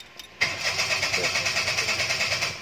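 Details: Petrol engine cranking at a steady rhythm but never firing; coolant temperature sensor suspected as a possible cause of no-start, not confirmed.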